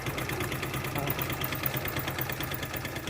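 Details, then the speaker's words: Hero Splendor motorcycle with full 1 litre of oil but no oil reaching the top end: uneven knocking about three times a second over a rough idle; oil pump has failed. Engine knock from oil starvation. "इसके अब पर इतना engine के अंदर oil है 1 litre पूरा oil है इतने इंजन में बिजली सप्लाई नहीं है तो मतलब जिसको ऑयल पंप है वह खराब हो चुका है"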